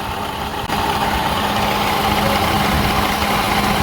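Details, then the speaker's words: Car idling with variable displacement AC compressor engaged: busy, uneven rattle from a wrecked compressor knocking internally, noise stops when the compressor disengages and returns when it clicks back on. "I heard a rattling noise and that rattling noise of the compressor goes like something which I'm going to be showing you on this very camera"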